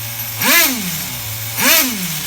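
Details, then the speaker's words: HPI RS4 Nitro F150 RC car engine being bench tuned after lowering the idle: two blips that drop straight back to a steady idle with no hang, a clean single-stage return to idle. "it doesn't stay revved up and then idle down it just immediately the idle drops immediately that's what you want"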